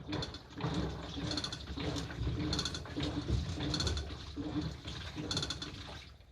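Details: Washing machine that began rattling a few days earlier: light metallic clatter in bursts about once a second as the drum turns; owner suspected a loose part, but a 10-yen coin later came out through the drain.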